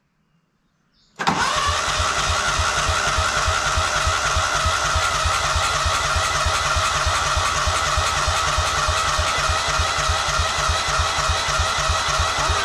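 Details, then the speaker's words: Old Cub Cadet riding mower, sat for years in a barn, no starting spray used, oil light off: steady rhythmic chugging about three beats a second while cranking, trying to catch but not firing up. "on oil light turned off oh it almost went oh it it's trying to oh it's so close"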